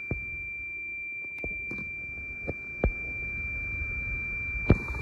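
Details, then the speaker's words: Toyota Land Cruiser with 2UR engine that cranks but won't start after running out of fuel, ignition on; steady unbroken high-pitched warning beep with ABS and traction lights on, from low ABS pump/accumulator pressure, code won't clear. "तो अंदर जो है ABS की लाइट भी आ रही है और ट्रैक्शन भी लाइट आ रही है, क्योंकि ये बीप उसकी वजह से कर रही है।"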